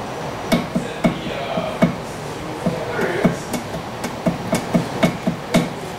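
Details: 1979 Porsche 911 during inspection, right front wheel grabbed top and bottom and rocked by hand: sharp uneven clunks about twice a second from wheel bearing play, contributing to tire shoulder wear; left side similar but less.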